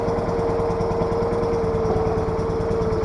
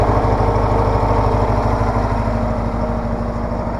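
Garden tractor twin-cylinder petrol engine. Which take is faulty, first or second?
first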